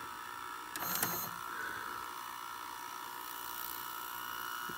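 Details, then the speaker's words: Philips SV2000 VCR with the F9 mechanism, after the mode switch fix: faint steady whir with a short clatter near the start, then even running; plays smoothly and auto tracking works. "yeah let's just see how it's tracking it's tracking right now yep I think you found it"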